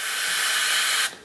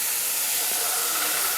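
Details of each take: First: CNC total-loss way lube system, compressed air fed through a lube line to the saddle: a strong, steady hiss of air flowing freely for about a second, then it cuts off cleanly. The lube line is clear. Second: CNC total-loss way lube system, distributor/metering block with restrictors under air; steady hard hiss and bubbling at the body instead of the outlets: plugged way lube metering valve inlet.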